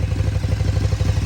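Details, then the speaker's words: 2014 KTM Super Duke 1290R V-twin with over 57,000 km, at idle: fast, even clatter riding on a lumpy idle in time with the engine; owner suspects the valves, due for checking at the next plug change, unconfirmed. "You probably can hear there is a problem with them when we get it started. You hear the old foot pump ticking over."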